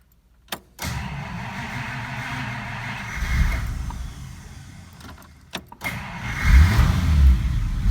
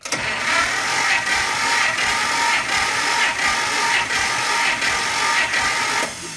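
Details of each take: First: 1953 Pontiac Chieftain engine, first start during a basic engine diagnostic: a click, a few seconds of cranking, then it catches and settles into a low, steady idle; a healthy start. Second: 1953 Pontiac Chieftain eight-cylinder, compression test, throttle and choke held fully open, starter cranking: slow, even cranking about 85 beats a minute, no firing; 90 psi versus the manual's 130–180, low compression.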